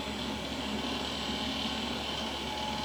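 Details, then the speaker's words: Vintage beige AOpen PC with Windows 2000 dual-boot at first power-on: a loud, steady whooshing roar with a high airy hiss and no rhythm. The cooling fans are very loud, and the owner wonders whether a fan is dying. "oh it is loud though i don't know if a fan is dying or what but hopefully you all can hear that"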